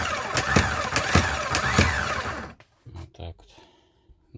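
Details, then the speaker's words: VW Crafter after a starter overhaul and tightening a partly melted starter terminal: strong, even cranking at about 2.5 beats per second with instant engagement, indicating normal starter cranking. "о мощно мощно тыр кает Ну хоть моментально реагирует сразу"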